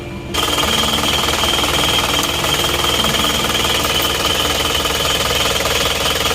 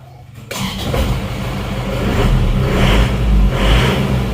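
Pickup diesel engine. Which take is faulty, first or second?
first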